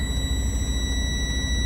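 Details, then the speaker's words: Diesel truck idling during a pre-trip inspection, brakes pumped down to drain the primary and secondary air tanks: steady high-pitched buzzer over a low engine rumble as the dash shows low brake air. Low air pressure warning working normally. "I'll pump these brakes down. You hear the beeper go off."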